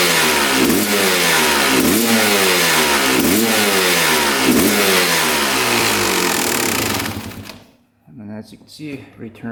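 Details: 2001 Honda CR250 two-stroke, power valve check: crisp blips climbing and dropping cleanly about three times a second, revving freely; power valves open fully to H and return to L, working properly.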